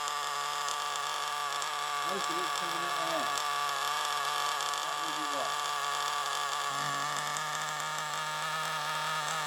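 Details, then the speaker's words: Used FTX Carnage nitro RC car: high-pitched buzzing engine with a raspy, spitting edge at every speed. A large exhaust leak at the top of the manifold is confirmed, since covering the exhaust changes nothing. Fix is to remove the exhaust and reseal the gasket. "So we've got quite a large exhaust leak at the top of that manifold there. So that's that problem. That's the reason why that's doing that."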